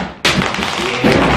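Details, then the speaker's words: 1999 Yamaha V-Max 500 snowmobile, about 4,300 miles, left in woods 8 years: fuel tank removed and moved, hard thuds and loose clattering of frozen water chunks sliding inside; not a whole lot in the tank. "sir you hear that ice in there so our next ACT is to get the slush puppy out of this tank"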